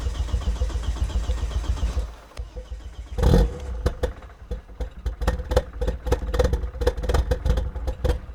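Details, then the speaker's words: 1999 Volvo T5 2.3 turbo five-cylinder after rebuild, fuel line pressure bled out: cranking, then a stumbling start with ragged, uneven firing on only about two of five cylinders; cause not confirmed. "That was like 2 cylinders of 5."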